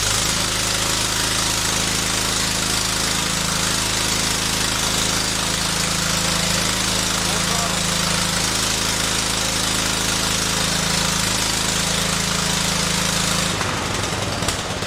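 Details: 1974 John Deere 112 with a 16 hp Kohler K341 swapped in for the 12 hp K301, running after corroded points were replaced with new adjusted points: a fast, even single-cylinder beat with no misses; runs healthy.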